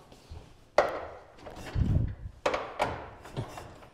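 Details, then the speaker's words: 1913-era first-series Bugatti, restored, primed with fuel then hand cranked: heavy, evenly spaced thumps with a firm puff on each stroke; compression sounds strong and healthy. "you know that does you can yeah and you can hear the compression there too that's great that's awesome"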